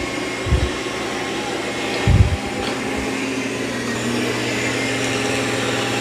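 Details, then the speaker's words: Dreame X40 Ultra robot vacuum (12,000 Pa) after dropping mop pads, rolling onto carpet; steady whirring hum climbs to a louder, fuller roar as suction boosts evenly on carpet; normal operation. "Now it will increase suction also when it senses it's on carpet."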